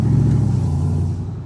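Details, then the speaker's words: 1994 Ford Mustang GT convertible automatic, which shuddered badly before pan drop and filter, gasket and fluid change. Test drive after service: deep engine pull builds smoothly under throttle with no shudder or surging; normal automatic transmission operation. "And you should pretty be able to tell here that there's no shuddering in this transmission."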